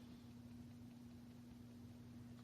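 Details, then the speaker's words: Turntable picking up rumble through the plinth and spindle into the microphone: faint steady low hum with vibration felt into the power cord; owner suspects the motor and is replacing it, faulty turntable motor vibration. "And uh you can even feel vibrations all the way into the the power cord here."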